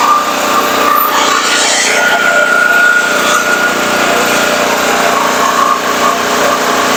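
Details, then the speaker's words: Firman 3650 W (4550 W surge) yard-sale generator with old fuel, pull-started on choke with a light bulb as load: a steady, high-pitched buzzing run with no stalls or surging; runs normally. "okay we're gonna Crank It Up see what happens we got our light bulb up there our throttle is not stuck so we're gonna give it a pull choke is on"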